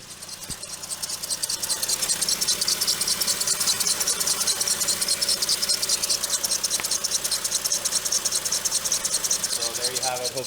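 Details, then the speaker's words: VW Mk5 Rabbit 2.5L 07K at idle, microphone down next to the serpentine belt near the alternator on the driver's right: sharp, high chirps repeat evenly two or three times a second; failed serpentine idler pulley. "all right so luckily that noise is pretty clear it's coming from the serpentine belt so it's coming from driver's right hand side of the car um right by where the alternator is"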